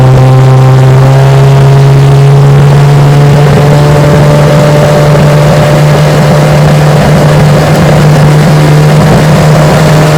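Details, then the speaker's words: Restored 1968 Johnson/Evinrude 9.5 HP outboard on a 14-foot Feathercraft at full throttle: loud steady high two-stroke buzz held flat, clean and even with no misses; running strong. "Yeah, she's a screamer. Just perfect."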